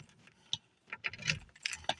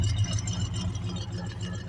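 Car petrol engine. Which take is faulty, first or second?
first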